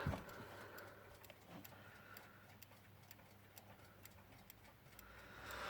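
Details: Metamec mantel clock after reassembly, ticking quietly and evenly about twice a second in a still room; the movement runs smoothly. Normal ticking.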